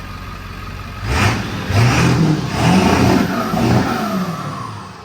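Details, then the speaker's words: Ford 7.3 diesel after HPOP reseal, fuel bowl delete, regulated return, and new exhaust back pressure sensor, driven: pulls cleanly through rising revs and eases down, no misfire or knock; sounds better, normal running. "It sounds like it's running better."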